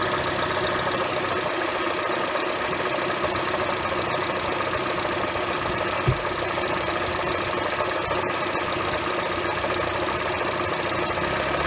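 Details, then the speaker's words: 2007 Honda Fit cold start settling into idle with a steady light knock, first suspected as rod knock or piston slap. The cause was a worn AC compressor pulley bearing, fixed by replacing it (NSK 35BD219DUM). "this is a recording of my Honda Fit starting cold than me trying to determine what's causing the noise"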